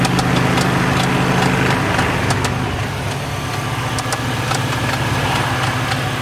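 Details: Volvo 850 T-5R petrol engine with Eagle H-beam rods and ARP hardware, idling with sharp metallic knocks about three a second over a steady rumble: bad rod knock developed after drag racing.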